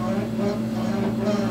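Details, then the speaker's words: Sub-Zero 700TC refrigerator making a horrible constant droning hum with a wavering, rough overtone from the condenser fan. Owner believes the fan bearings are going bad; fixed by replacing the condenser fan motor. "it's making a horrible noise i believe this noise is the result of the bearings in the fan going bad"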